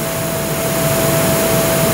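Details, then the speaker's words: Roland MX-1 at full volume, recorded by an Audio Technica AT2020 USB mic near the monitor: mono channel from an Akai MPC via Komplete Audio 6 gives constant hiss, steady thin tone near 650 Hz and low hum; analog channel badly noisy. "now we're going to get uh a mono channel from the IAI MPC through the complete audio 6 this is very ugly"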